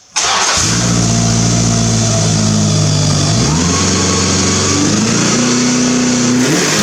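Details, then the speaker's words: W.A.R. Corsair replica aircraft engine, after wrapping the muffler whose bottom was thought to be vibrating (internal baffles not welded): catches quickly and runs steady with smooth speed changes. The earlier tin-canning rattle is no longer heard. "but the tin canning sound seems anticipated i don't really hear it now i think wrapping the muffler"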